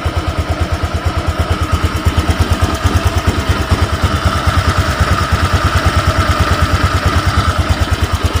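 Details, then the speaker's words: Honda Vario 125 (old model) after fixing a total electrical failure: starter works, engine runs at an even, regular idle putter about three beats a second, no misfire or knock; normal idle, run only briefly. "ya, motor sudah nyala, speedo sudah nyala. Karena di malam juga ya, saya cuma sebentar doang dihidupinnya."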